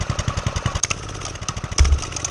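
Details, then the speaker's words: Homemade single-cylinder pit bike with DIY turbo, warmed up, choke off, no throttle: steady even thumping at low idle while the turbo spins; normal warm idle. "You got to give it a little bit of throttle for now, but once it warms up, like right now, there's no throttle at all. It's just running."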